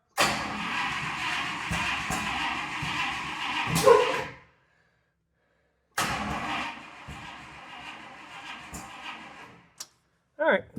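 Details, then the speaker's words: 1956 Buick Century with a freshly rebuilt engine, started with gas poured in the carb, in park: rough catch with sharp pops through the carb and stalls; owner suspects the timing is off and is rechecking top dead center. "sounds like the timing's off. I'm going to make sure I had set this at top dead center once."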